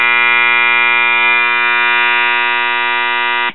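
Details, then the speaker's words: 1977 Realistic Radio Shack STA-64 stereo receiver: loud steady 120-cycle buzz with harsh overtones until it cuts off; moving the power supply electrolytic filter capacitor (Elna, 4700 µF 35 V) stops the hum; intermittent connection inside the capacitor, found bad. "see when I move it hum goes away so that's either a bad solder connection or an intermittent connection inside the capacitor"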